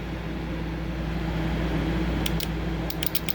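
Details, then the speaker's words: Relay from a 2003 Ford Expedition XLT with no crank, just clicking, battery tested good, bench-tested with power on terminals 85 and 86: sharp dry clicks over steady hum as the coil energises, so the relay switches normally. "and how do I know if it works there's a clicking that that that's that's being made"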